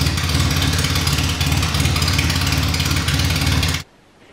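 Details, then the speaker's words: Classic Mini race car, Specialist Components 1293cc engine with big carb, first start from cold with no exhaust or breathers fitted: loud, even low beat with crisp firing, no knocks or misses, idling surprisingly well from cold before cutting off. Normal idle. "I was quite surprised at how well it just idled even from cold well I just wasn't expecting that from a race engine with a big carb on it"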